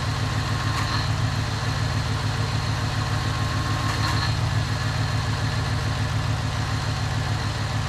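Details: 2001 Cadillac DeVille after its starter was replaced: a smooth, even low idle at about three and a half pulses a second with no knocks or misses; the engine sounds healthy.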